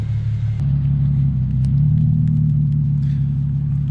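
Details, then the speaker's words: Infiniti G37 or Nissan 370Z with new 1320 catless test pipes and an SRS axle-back exhaust idles with a deep, steady burble; the earlier rattle is gone and there is no tinny buzz; normal exhaust idle. "Go. Damn, that sounds so good. Wow. So I have the catless test pipes by 1320, and what else? Oh, and the SRS axle back exhaust."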